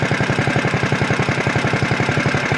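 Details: CT200U-EX mini bike, governor removed, PVL flywheel, Mod 2 cam, 22 lb valve springs, ARC billet rod, RVL exhaust, Mikuni carb, owner guesses it does about 40: quick, even single-cylinder beat, about fourteen pulses a second, pulling steadily under load, no misses.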